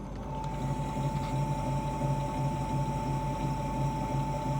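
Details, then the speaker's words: BTH BP02 pottery wheel raised to about 300 rpm: a faint sizzling buzz over a soft, even motor hum, from inverter switching frequency and electromagnetic motor vibration; normal and harmless. "After increasing the speed around 300 rpm, you may hear a bit sizzling sound which is completely normal."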